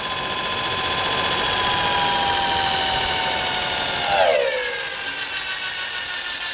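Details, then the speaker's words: Antique Allis-Chalmers 10 HP electric motor after shaft, keyway and bushing repair, first run on 110 V with a capacitor bank: a steady high whine that drops sharply in pitch as switching the capacitor back in brakes the motor to a stop. "braking effect was from kicking the capacitor back in."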